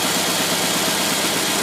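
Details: Holley "tpot" carburetor on a test engine with the fuel pump shut off on purpose, running on the fuel left in the bowl. The idle is still steady and even with no stumble yet, as the bowl empties before the refill.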